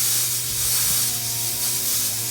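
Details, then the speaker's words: Samsung refrigerator not cooling, unplugged and plugged back in: thin, steady hiss of air bleeding from the cut line, weaker than it should be and not sucking in, indicating a partial capillary tube restriction; filter drier to be brazed in. "sucking in out of here. And it's not. So I have a restriction or partial restriction in here."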